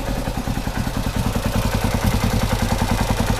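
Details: 1970 Honda CB450 after gas leaked into the engine oil from a petcock left on reserve: steady, even idle with a regular beat and light valve tick, no misses or knocks; normal idle.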